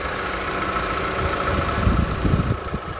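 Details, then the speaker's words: 2018 Honda Civic FC 1.8 EL (141 hp) four-cylinder, about 150,000 km, all original and untouched, heard in the engine bay: the warm engine idles evenly with a soft steady hum and no ticking or knocking; smooth and healthy. "ในส่วนของห้องเครื่องเครื่องเดินนิ่งมากคันนี้นะครับเพื่อนๆ8712นะครับ"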